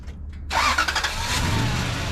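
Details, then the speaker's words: Toyota Tundra after replacing the main fuse blown by an incorrect jump start and repairing the fuel pump: engine catches on the first crank and settles into a steady, even idle with plenty of fuel pressure; normal start. "start right up plenty of fuel pressure now"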